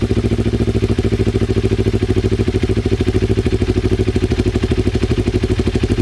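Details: Twin-cylinder Ninja motorcycle, recently revived, new air filter, carb sync attempt: low, lumpy idle with a pulsing, slightly uneven beat, suspected unbalanced carburetors; fuel then leaks from the headers and carb vents; uneven idle.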